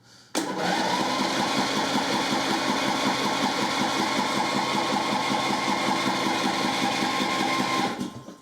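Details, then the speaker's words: Husqvarna LT1538/LT1597 lawn tractor with a replacement engine, choke on and throttle closed, cranking but not starting: steady starter cranking at about 2.5 beats a second, never catches; owner suspects fuel isn't getting through yet and plans quick-start spray before checking spark. "although actually i don't know if we're getting fuel through yet it's possible that we're not maybe we should maybe we should spray some spray some quick start dania"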